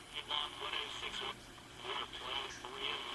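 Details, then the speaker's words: Ross transistor AM/FM radio before re-capping: voice from the speaker stays faint and thin even at full volume, lacking output power. Owner suspects bad capacitors. "not very much power to it so obviously the caps are probably bad on it"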